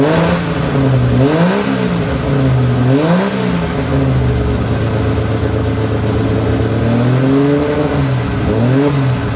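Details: TVR 2500M classic car started on its own battery before any jump pack was needed; engine catches, settles into a steady run and revs up and down cleanly and evenly; normal start and revving.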